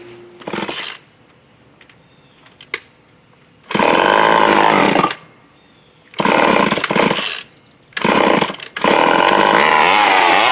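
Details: Old Craftsman chainsaw after partial carburetor rebuild (diaphragm repositioned), bar oil added, run outside: snarls to a steady high buzz on each throttle pull, dropping back between bursts; revs cleanly, running fine.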